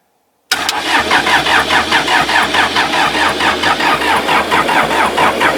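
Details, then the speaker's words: Old backhoe sunk in a pond for seven months, drained and pre-oiled, now refuelled and bled with injectors loosened. The diesel cranks slowly and steadily at about two turns a second and never fires. Crank, no start; owner suspects a missed bleed screw. "Hold it. Hold it. That's cranking pretty slow. Yep."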